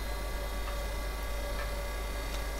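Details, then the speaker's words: Hurco BMC25 CNC controller booting DOS from the A: floppy drive: soft irregular head-step ticks over a steady hum, no grinding or retry clunks; drive reading the disk normally. "you'll know that um it makes a very specific uh noise when it's reading the disc and it does sound like it's doing it correctly."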